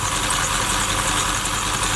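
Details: Supercharged Oldsmobile Cutlass idling while warming up after shop repairs, coolant being topped off, thermostat just opened; loud steady even idle with constant airy supercharger hiss, no knocks or misses; normal supercharged idle, blower running normally.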